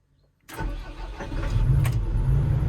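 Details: Doosan DX140LC-5 excavator diesel that would not start: brief crank, then it catches and settles into a steady low rumble; starts promptly, idles normally.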